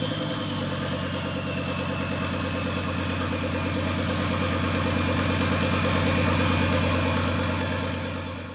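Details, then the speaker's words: Volvo S60 T5 engine in a front half cut from the car, idling with no exhaust fitted: loud steady drone with crisp pulses, smooth and healthy. Running after days of crank-no-start, once the airbag control module was removed. "Well, I'm as happy as can be. It runs, finally. I've been trying to get the car running since Sunday."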